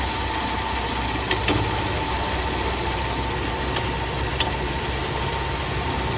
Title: Is this a bad ac clutch or bad compressor?